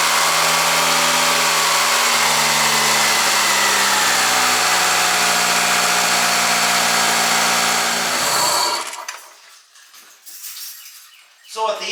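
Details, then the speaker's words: 2003 Mitsubishi Galant with 188,000 miles: on startup, hot or cold, the petrol engine flares to about 2,500 rpm high idle for 10-15 seconds before dropping; owner suspects a faulty idle air control valve, which he replaces. "When I fire it up, it over revs to like about 2,500 RPM for just 10-15 seconds. Then it will come down, but it'll do this when it's hot too, so it's not just like a cold engine type thing."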